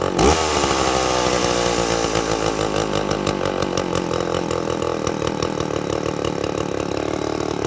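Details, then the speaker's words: Two-stroke chainsaw with impulse-diaphragm carburetor, chain loose and idle set low for demonstration, run at full revs with no load: uneven burbling that breaks up a few times a second, sounding very fat. High-speed jet set rich, four-stroking; it should clean up once cutting wood. "now I chained it super loose so I had it set a little bit low on idle to get that chain to stop just for demonstration purposes but you see how bringing that it sounds really really fat"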